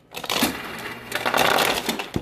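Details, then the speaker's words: Refrigerator ice dispenser with a crushed option, set to cube but making crushed. Pressing the dispenser gives sharp plastic clacks and rattles as the little plastic crusher flap slams down. "that clicking which what you're actually hearing is what you're actually hearing is this little plastic piece right here moving slamming down you're hearing you're hearing that slam"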